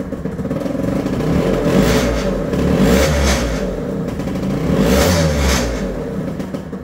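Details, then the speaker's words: Two-stroke scooter, cold start with the manual choke lever applied after showing a failed start without working choke: fires right up, revs rise and fall cleanly without stumbling; normal cold start on choke. "all right now let's go ahead open the choke lever much easier Starts Now straight"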